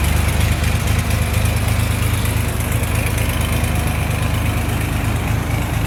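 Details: 1979 Porsche 911SC 3.0 Targa with 156k miles and matching numbers, at idle: an even, steady burble with regular firing pulses and no knocks or misses; the engine runs really smooth.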